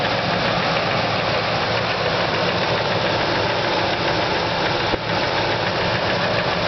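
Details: 1999 Ford F150 5.4 2V V8 (no cam phasers): steady rapid knock over a rough idle from the passenger-side exhaust manifold area, possibly cylinder two, heard with a wooden stethoscope from underneath; owner suspects rod knock, unconfirmed.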